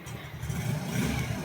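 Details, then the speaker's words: Yamaha Mio Soul 125i after engine refresh from 59mm bore back to stock: short, smooth rev blip with even exhaust note; previously grinding, now quiet with no knocks. "O yan, okay na siya. O tahimik na rin makina. Nung dinala dito parang ano, parang may gilingan."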